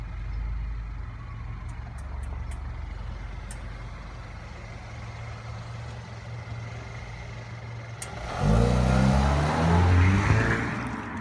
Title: Clicking noise